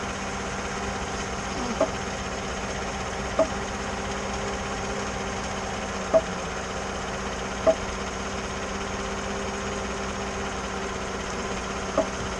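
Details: 2014 GMC after power steering motor replacement and dealer reprogramming: five sharp, irregular pops a couple of seconds apart over a quiet idle when turning while stopped under load, not while moving; cause unknown.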